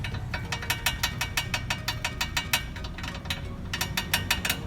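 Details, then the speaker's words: Perodua Myvi front wheel: sharp metallic clicks about three a second as the caliper is rocked by hand, a dry, under-lubricated brake caliper slide pin knocking in its bore. "itulah bunyi yang kurang dengan minyak saat bahwa dia benda ini bergegas"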